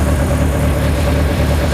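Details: BMW M42B21 four-cylinder engine ("Mighty Mouse") just started after oil pump replacement, oil pressure up: smooth, even idle with a steady low drone, no knocks or ticks. Normal idle.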